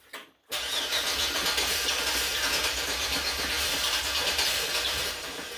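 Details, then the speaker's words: 2005 Chevy Express 4.3L crank-no-start after distributor cap, rotor and spark work: starter spins steadily about five seconds with an uneven hiss, now trying to fire but not catching cleanly; it started shortly after. "see before it only cracks but it doesn't start wow now you can see it's trying to start"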